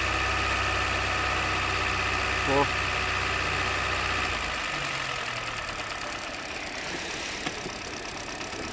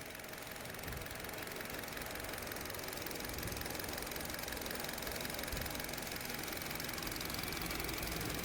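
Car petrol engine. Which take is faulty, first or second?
first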